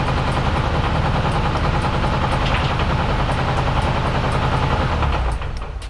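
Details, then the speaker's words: Nissan S13 200SX CA18DET just restarted after resetting cam timing: uneven, lumpy idle with irregular thumps and stumbling beat; owner thinks the crank angle sensor (CAS) is not yet set right and needs adjusting. "As you guys could hear, the idle sounded a little bit rough. That is more than likely because now the CAS isn't obviously 100% on point,"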